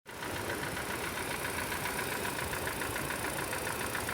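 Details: 2014 Chevrolet Cobalt, 70,000 on the clock: hard, even metallic knock at idle, three or four a second; teardown found connecting rod bearing play, worst on cylinder four, with burnt black bearing.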